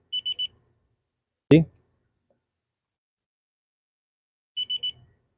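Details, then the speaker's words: 250k-mile Subaru electrical diagnosis: a short finder fitted with a 25 A fuse beeps three times, pauses, then beeps three more as it senses an overload, kills the circuit and resets. "so if this device senses an overload it's going to kill the circuit and we're going to hear it beep beep"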